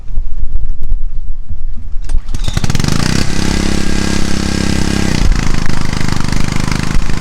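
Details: Honda CG160 5 kW generator after capacitor repair for running without producing electricity, hair dryer plugged in as load: catches after a couple of pulls, settles into steady even drone under load, no misses or knocks; normal running under load.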